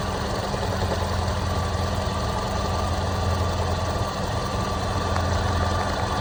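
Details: Toyota Land Cruiser Prado 120 2.7 2TR-FE, overhauled 30,000 earlier: a dull knock comes and goes over an even idle, silent for up to 10 minutes, then regular; constant after warm-up since the lifters, VVT-i valve and tensioner were replaced; oil pressure ~1.2; intermittent knock, cause unknown.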